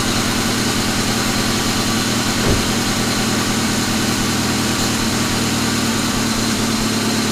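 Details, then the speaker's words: Rebuilt 1999 Grand Am GM LD9 2.4 Quad 4 on first start-up idles evenly with a rough grinding at the front of the engine from the AC compressor clutch; the serpentine belt is being checked, and the compressor, whose shaft seal also leaks, needs replacing. "so so this other ac compressor clutch making some noise so so let's make sure it's something on that serpentine belt before we go any further"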